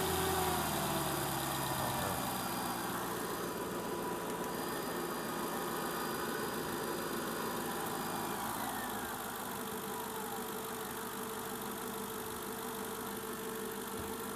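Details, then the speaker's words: Mercedes ML500 W163 M113 V8 at 273,000 miles idles with a smooth, even hum and no knocks, after the auxiliary water pump was replaced. "273,000 miles and running strong. I love this car."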